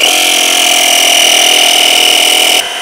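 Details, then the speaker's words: Square D Pumptrol 40-60 well pressure switch replacement job: the small tire inflator on the back of a jump-starter box pressurizes the tank, giving a loud, shrill, steady buzz at an even rate until it shuts off; inflator working normally. "We're gonna kick it on, and it's really annoying, but it's gonna"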